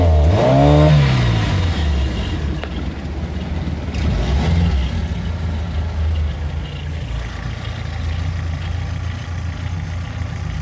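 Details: 1989 OMC Cobra 2.3L marine engine: brief rev settles into an uneven, lumpy idle with a recurring stumble about four times a second; owner suspects an electrical misfire.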